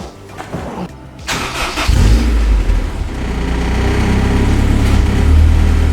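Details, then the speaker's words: Honda S2000 after aftermarket exhaust install, with a broken manifold stud: cranks, fires and settles to a fast idle with a light tinny rattle; exhaust leak at the manifold joint from the broken stud. "we can't even appreciate the sound because you can hear a little rattle it's not like it's hitting something but that's what it is damn stud"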